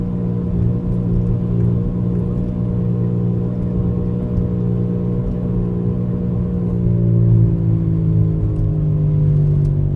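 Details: 2004 Buick Rendezvous while driving: heavy low rumble with a hum that climbs as speed builds, and the noise goes away only when the wheel is turned left; source unclear.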